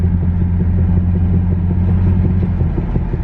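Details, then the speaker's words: Infiniti G37S driver-side wheel at about 20 mph, wheel visibly wobbling: deep steady drone with loose uneven rumble pulsing about three times a second, helicopter-like chopping and faint clicking, louder when slowing; owner believes a loose wheel bearing. "just like legit sounds like a helicopter just like a chopper like to do kind of thing it's just like and you just hear that faint clicking"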